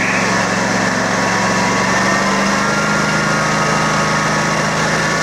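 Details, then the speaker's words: Kawasaki 19hp engine converted toward 23hp by swapping the carburetor throttle shaft, on a cold day with old gas still in it: a steady fast even drone; the idle may be set slightly high. "Okay, that sounds like it might be idling or full throttle just a little bit too much, but I still got to go through this thing and put fresh gas in it, and you know, it's also cold out today, so who knows what's going on."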